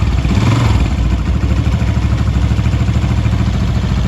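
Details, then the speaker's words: Honda CG125 after tappet (valve clearance) adjustment, started at slow idle: steady low even single-cylinder thump with no ticking or top-end clatter, previously noisy; now quiet, tappet noise fixed. "देखें जी कितनी जबरदस्त sound बन गई है इसकी। बिल्कुल खामोश हो गया बाइक।"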